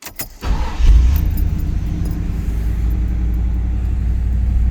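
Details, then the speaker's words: 1984 Chevy Camaro, built 355 small-block V8 with Quadrajet Stage 2 carburetor, cold start around 40 degrees after high-idle screw adjustment: fast steady idle around 1500 rpm slowly easing down, smooth and even. "And it's coming down a little about 1500 right now."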